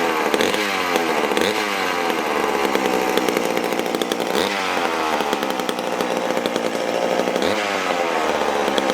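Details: McCulloch Super Pro 81 chainsaw started after many months unused: a two-stroke engine blipped up and back down every few seconds, picking up cleanly and running evenly. It is a healthy saw.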